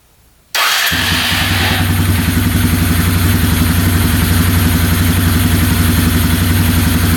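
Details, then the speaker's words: Free 2011 Polaris Phoenix 200cc ATV after carb work, choke on then off, airbox not yet refitted: fires straight away into a strong, even single-cylinder beat with no misses, smoke or knocks; running normally. "sounds great no smoke at all no knocking in the engine yeah everything sounds really good"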